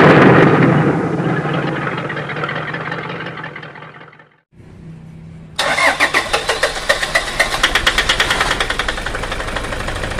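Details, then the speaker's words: Toyota Fortuner common-rail diesel cranks, fires, then settles into a harsh, uneven clatter pulsing about three times a second. Rough running and shaking caused by an erratic injector driver, fixed by replacing the driver without an engine teardown. "mengenai suara mesin pada Toyota Fortuner yang kasar Hai yang mana suara mesin tersebut Terdengar sangat kasar"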